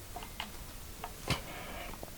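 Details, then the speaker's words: Bolt-on neck partscaster Strat after tuning up with neck bolts slackened a quarter turn each: scattered small clicks and soft creaking from the neck joint as string tension pulls the neck back into its pocket, settling it. "Slacken off these bolts like a quarter of a turn each. And you'll hear some creaking and clicking going from the neck joint."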